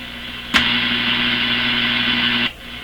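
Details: Grundig Satellit Professional 650, 9 V supply, tuned near 9333 with no antenna while checking antenna inputs for weak shortwave: two seconds of loud steady hiss over faint low hum, no station; only noise without antenna.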